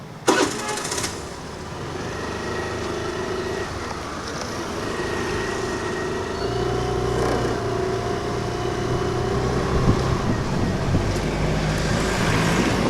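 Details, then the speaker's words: Access 125 BS6 scooter after full service, battery noted as critical since low power stops BS6 bikes starting: starts, then smooth even hum at slow road speed rising gently, no cutting out or stumbling where it stalled before. "Slow గా వెళ్దాము ఎందుకంటే slow లో వెళ్ళినప్పుడు ఆగిపోయింది కదా బండి ఇప్పుడు slow లో ఆగిపోతుందో లేదో అనేది ఒకసారి చెక్ చేసుకుందాం"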